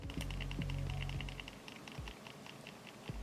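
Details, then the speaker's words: Logitech G302 mouse shaken with buttons held: light irregular clicking rattle from a loose internal part, likely the sensor, milder than a G303's; rattle when shaken. "so let's shake it here's something rattling let's hold the buttons in"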